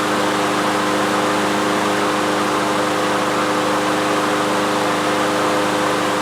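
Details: Troy-Bilt TB360 mower, Briggs & Stratton Quantum single-cylinder engine, unused 3 years, after main jet cleaning, run with the air cleaner off to check the automatic choke: steady, even drone with no misses or surging; normal running.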